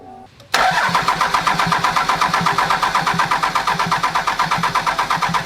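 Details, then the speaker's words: 24-valve non-53-block Cummins diesel, first start-up after fixing a cranked-over rocker arm and fitting bigger injectors, lines 1, 3, 4 bled: catches at once, settles into steady, even clatter about three beats a second; started perfectly. "I'm going to attempt to talk over this lighthouse Cummings but basically she started up perfect probably took like two three minutes you guys saw"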